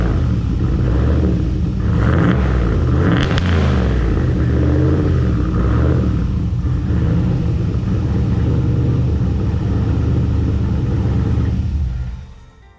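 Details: 600 HP grocery-getter truck with a small straight-through muffler, recorded at the tailpipe before the new muffler goes in: loud, deep booming exhaust with a couple of throttle blips; the undersized muffler lets far too much drone through.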